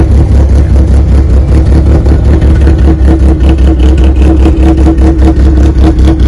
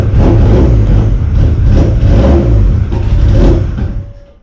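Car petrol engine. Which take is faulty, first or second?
second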